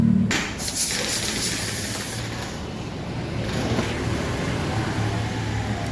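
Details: Honda Beat FI scooter after a TPS/idle reset procedure (no fault codes stored), complaint being hesitation up to 40 km/h: steady, even idle with no stumbling or hunting.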